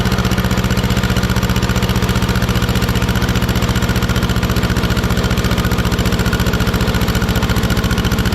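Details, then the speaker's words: 1950s barn-find Schramm air compressor engine after carburetor adjustment, having earlier failed to hold rpm once the unloader kicked in: a steady, even single-cylinder chug with no misses or surging. "yeah look at that i played with the carburetor a little bit seems to be working good"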